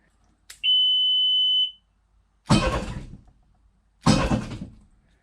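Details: 2015 Tracker Pro Team 175 TXW boat with a no-start problem, after fitting a new ignition switch: a steady high key-on buzzer for about a second, then two short bursts of cranking. It turns over better than with the old switch, and the new switch works properly.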